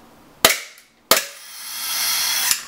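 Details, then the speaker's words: KWA M19 (G19) gas airsoft pistol, empty chamber, gas-only mag, before fix: sharp crack on firing, then a second crack and long rushing hiss as the whole magazine charge vents, a gas dump. "so you guys heard that noise um that's obviously the gas escaping from the mag so that's a really common occurrence with the G Series um pistols"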